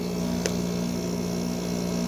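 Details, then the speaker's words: Normal compressor running on a 5,000 BTU Fedders window air conditioner, likely early 2000s, with mechanical controls, putting out warm air. A steady low hum with an even tone and no knocks or rattles; the compressor sounds healthy. "Just listen to that compressor for a minute. That is really cool sounding."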